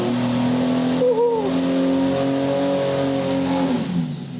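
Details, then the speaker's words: Forged, CNC-ported Ford 300 inline six with custom EFI, turbo on pump gas, full-load engine dyno run: strong steady roar with rising turbo whistle as boost builds; pulls cleanly, 702.7 lb-ft and 601.8 hp. "Listen to that thing. Whoa, we can see where that ramps in. Holy."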